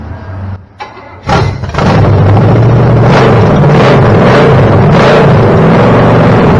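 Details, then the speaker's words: Chevy small-block 327 V8 on a homemade run stand, stored about 15 years with fogging oil, first start after fixing starter, water pump and carb fuel feed; catches after short crank into strong even rumble, no ticking, knocks or misfires: healthy run. "Dude, Sounds good. sounds really good."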